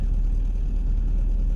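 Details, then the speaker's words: BMW M10B18 with the untested auxiliary air valve, a few minutes after a cold start: smooth, even, still raised idle, expected to drop within 5 minutes; normal cold fast idle. "Setelah beberapa menit, apakah RPM-nya akan turun? RPM-nya masih tinggi."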